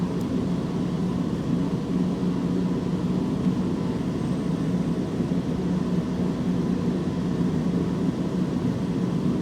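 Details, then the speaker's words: Squeaking alternator after its brushes were reseated and held with a TIG rod: steady engine hum, no squeak, maybe a very light trace; alternator brushes suspected as the squeak source, normal after repair. "No squeaking. Recheck these. All right, let's pop that back down in there. All right. Now there's no squeaking."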